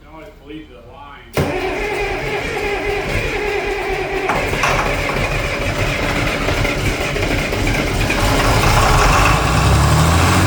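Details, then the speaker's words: John Deere 4020 Hi-Crop Powershift diesel, long-stored, fresh fuel and batteries, jump-assisted: quiet, then steady rapid cranking that grows stronger as it starts catching on ether. "that was all ether okay I'm going keep cranking"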